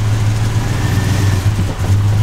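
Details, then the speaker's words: 2002 Chevy Avalanche V8, cold and not warmed up, rough idle with some knock but oil pressure present: drones low and uneven, sagging and wanting to die instead of revving on throttle; engine hesitation and stumble. "Doesn't want to juice up when I hit the gas. So there we go. You can see I'm hitting the gas. And it's just wanting to die."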